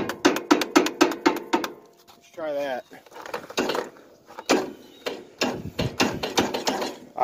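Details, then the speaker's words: 1995–99 Yard Machines tractor with a good battery: a run of quick clicks, about four a second, then scattered clunks. The starter energizes but is too weak to crank the engine over; a backfire was heard earlier, and starter removal is planned. "because it won't crank over even with a good battery it'll just try to but this the starter is just too weak to even do it"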